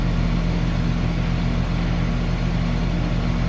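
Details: Two-stage AC condenser in rental property, in stage 2 (full compressor speed), after wiring fault fixed: steady low hum with even fan whoosh, no knocking or rattles; running normally.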